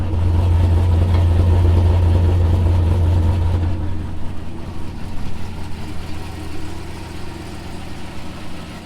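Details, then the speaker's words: Turbo LS V8 truck after relocating coil packs under the manifold to stop melting plug wires that caused a misfire. Deep, steady, even idle with no stumble and a small exhaust leak at the dump. Running really good. "it seems to be running really good [Music] relocating coils are working out"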